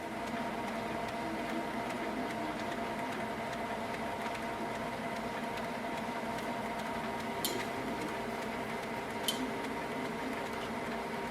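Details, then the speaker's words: Canon Maxify GX3020 printer printing blank pages from clogged nozzles, running its ink flush cycle (about 9 minutes): steady low whir with faint tones and a couple of small clicks, normal flush operation. "Once the printer starts its cycle to flush the ink, you will hear a sound from the printer. Wait for the sound to stop."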